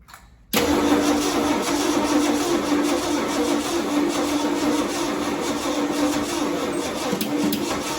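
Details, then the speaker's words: 1969 Ford Galaxie XL GT convertible, 429 with 4-speed manual, first start attempt with new coil: long steady starter whirr with about four even compression beats a second for eight seconds, never catching; crank no start, no spark suspected. "Doesn't sound like it. No, it's not happy. You mean it's not getting a spark?"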